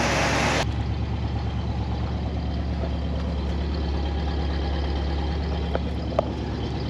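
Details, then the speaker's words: 1968 Pontiac Grand Prix big-block V8, revived after an estimated 15–20 years sitting, running on its own fuel pump and carburetor: low, smooth, even idle, almost too quiet, no knocks or misses, great oil pressure. "almost too quiet but sounds good great oil pressure see it pumping like crazy sounds good"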